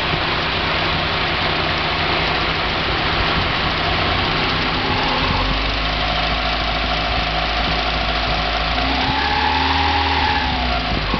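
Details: 1990 Mazda Miata at idle and revving: a light metallic rattle that separates from the hydraulic lash adjusters' tick on acceleration and deceleration. It persists on 93 octane, so probably not ping; the owner wonders about rod knock or a spun bearing. Cause unconfirmed.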